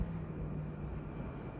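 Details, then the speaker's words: EMI mini split, about two years old, in a garage, running with the swing working and blowing hard: steady, even rush of air with a low hum, no rattles or squeals; normal fan operation. "nd it's blowing it's blowing pretty good like it's blowing right in my face and it's the swing is working"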